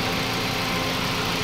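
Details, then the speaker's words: Toyota Vios 2NZ after refitting the leaking hose firmly onto the intake manifold: steady, even idle with no stumbles, dips or misfire beats; no longer stalling from too-low idle, normal idle. "so Ang ganda na po ng idle ngayon ah singaw lang"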